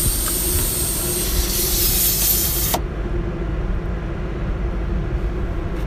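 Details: Steady high hiss over a nearby generator drone, cutting off abruptly: air escaping from a tyre punctured by a screw, before plugging with a tyre repair kit.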